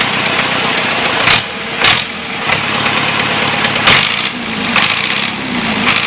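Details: John Deere 2640 diesel tractor being revived, on a new battery after fuel system work: loud open-exhaust surging in uneven bursts as it catches, then it keeps firing on its own. Normal running.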